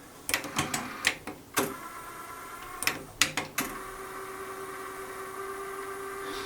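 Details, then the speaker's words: JVC TD-W717 dual cassette deck in play mode: a string of sharp clicks and clatters, then a thin steady whir as it settles into play; noisy transport mechanism, perhaps less bad than before, possibly tape-dependent. "when it plays it's actually have this noise and I don't like"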